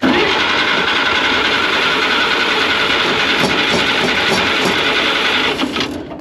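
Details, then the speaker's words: 1940 Chev Blitz, choke out, throttle pumped, lever-operated starter, fed from a boat fuel tank: fast cranking chug that never catches; no fuel reaching the carburettor, and the hardened boat fuel line has a hole. "Sounds like we don't have fuel up to the carburetor yet."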